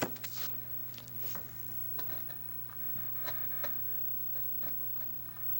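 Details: Darius 1002 amplifier crackling, with irregular crackles and pops over a steady low hum as the worn volume potentiometer is turned. It is to be cleaned with DeoxIT D5.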